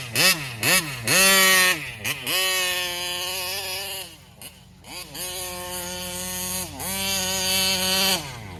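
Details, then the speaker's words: Taylor 35cc reed-valve two-stroke engine in a Kraken Vesla .5: revs up in repeated bursts but flattens and falls back near the top, won't come on the pipe; acts fuel-starved at high RPM, carburetor or plugged screen suspected, air filter clean. "it it high RPMs it acts like it's starving out for fuel so"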